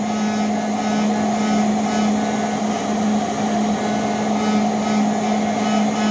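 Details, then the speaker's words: Steady motor hum with a constant low buzz from a very old, poorly seated plastic top housing. The motor inside vibrates the housing and heats it over time; pushing down on one side changes the noise. "the motor is up inside um you know vibrates this and also Heats this up over time and uh it just it's not seating very well"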